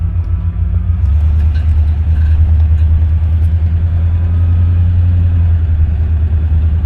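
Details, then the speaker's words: 1967 Cadillac DeVille convertible, V8 with automatic transmission, 74,154 miles, pulling away in gear on a test drive. A deep, steady, even rumble with no miss or knock; motor and exhaust sound smooth and healthy. "Motor sounds nice and smooth. Exhaust sounds good. As soon as I put her in the gear, she's ready to go."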